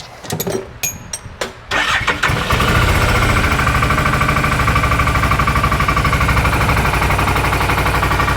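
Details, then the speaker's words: 2018 Odes Dominator 1000 X2 LT V-twin with lack of power and a 24 mph top speed: lumpy, uneven idle; rear cylinder at 102° versus 200° front; spark present, injector wet; dead rear cylinder misfire. "I can still tell you something's going on with a real rear cylinder it's not getting hot current one's already 200 the rear is 102"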